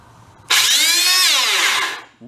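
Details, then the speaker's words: Hoover Elite carpet cleaner motor, discarded as smoked, bench-tested clamped: screams up to harsh gritty high whine, sags, winds down, smoke follows; motor bearing failure. "that sounds nasty well I think that might be part of our problem"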